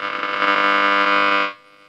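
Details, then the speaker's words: 1939-ish Rolax 5-valve broadcast radio after repair, back in cabinet: loud steady buzzing hum about a second and a half then drops away; electrical noise, owner suspects computer gear on the same home circuit as the service bench. "so there's that electrical noise"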